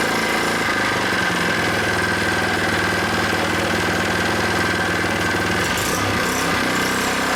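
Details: New Predator 79cc single-cylinder small engine on first start-up after unboxing, freshly oiled, no choke needed, warming up; fast, even chatter at a steady idle with no misses or knocks, solid and healthy.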